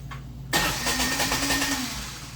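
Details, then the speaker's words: 2005 Kawasaki Mule 3010 after a starter replacement and troubleshooting (battery 12.36 V, fuses good). It did not start on the first try, then with a little gas: a brief crank, a clean catch and a steady, even idle. Normal start. "put a little gas to it and she'll start up don't know why it wouldn't start the first time i put it on but there you go"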